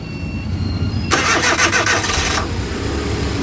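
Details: Suzuki DA64 engine after a general overhaul for knocking (suspected valve or con rod/main bearing): starter churns about a second, engine catches cleanly and settles into a smooth, even idle with no knocking.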